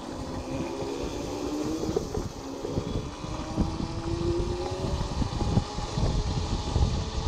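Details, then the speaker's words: Old Burg electric go-kart, car alternator converted to brushless motor, 36V 500W, 36V 18Ah gel lead batteries, chain refitted, riding: rough rattling drone with loose metallic chatter under motor hum; cheap chain drive noisy. "la vache la transmission n'est pas terrible et ça fait beaucoup de bruit transmission pas cher"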